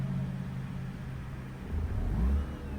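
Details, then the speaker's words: Mazda RX-8 rotary, hot and possibly in limp mode after shooting flames, overheating and losing coolant; with the throttle released, revs sag and stumble toward 1000 rpm with a slight misfire, nearly stalling; owner suspects a rebuild is needed. "it's slightly misfiring at one so i let go of the gas completely it's trying to remain idle at 1000 rpms so i'm not sure if it's going to actually doing it anymore but if it's actually going to shut off that's what i'm trying to say"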